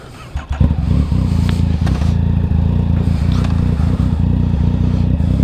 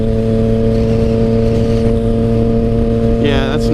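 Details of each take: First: Motorcycle with shorty levers after readjusting misadjusted clutch lever that caused slipping: engine settles into steady, even low beat pulling away, clutch takes up smoothly with no slipping flare; normal engagement. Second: Motorcycle with short clutch levers. A steady engine note, then the revs flare and climb without drive: the clutch is slipping because the lever and cable were adjusted too tight, holding the clutch partly in.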